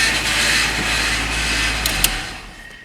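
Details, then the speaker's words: Rebuilt Honda CR-V, front wheels off ground, steering turned to lock, new power steering belt just fitted, fluid level dropped way low; loud hissy whir over running engine fading at shutoff; power steering pump noise, owner guesses from low fluid. "And I did just put that belt on the power steering, so who knows what's going to happen. Sounds like it's making a noise already."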